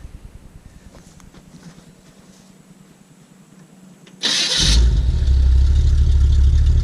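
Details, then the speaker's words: 1969 GMC C10 shortbox, 350 V8 with Turbo 400 and reportedly a small RV cam, long stored, new battery: it starts and settles into a steady, even cold idle with a mild cam lope; oil pressure good. "Doesn't sound too bad. We don't take it out unless the weather's nice. As you can see, the oil pressure. Oil pressure's good. It is still cold."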